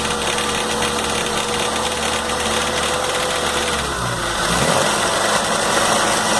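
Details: MG 1300 petrol engine idling after a rebuild: a light, uneven metallic rattle runs through the engine note, eventually traced to the idler gear.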